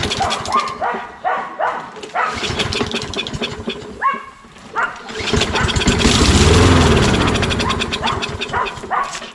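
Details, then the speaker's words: Toro Recycler mower with Kohler XT675 engine: catches on starting fluid, runs a few seconds and dies; spark confirmed, fuel not reaching carburetor, carburetor cleaning likely needed. "there we go it uh runs on the uh little bit of spray so we know that um it's getting sparked"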